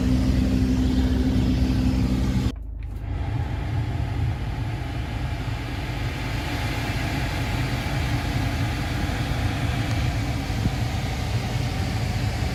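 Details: BMW F10 520D, cabin noise with A/C running, before and after repair: loud steady droning hum from debris spinning in the blower motor past a damaged, aged screen, then a quiet smooth whoosh after the blower motor was replaced and the screen repaired.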